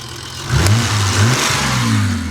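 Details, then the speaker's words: BMW E28 petrol engine, first start after new fuel system fitted, blips from idle and settles into a smooth even hum with no knocks; running well, though a fuel leak was later found at a cracked line near the rail. "And I hear it humming. That's a win. So, I've had it here running for a bit and everything looks good. It's running pretty good."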